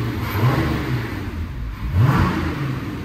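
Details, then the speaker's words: VW Passat R36, old timing chain tensioner refitted, about 6–7 minutes running: deep even note through light revs with no timing chain rattle as previously heard; normal running. "in been about 6 or 7 minutes there still no rattle like there was"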